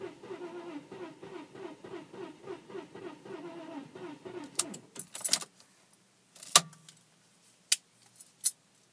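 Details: 1998 Audi A4 B5 2.8 V6 that wouldn't start after one rainy day parked on the street: starter churns at a steady rhythm for about four seconds but it never catches or fires; crank, no start.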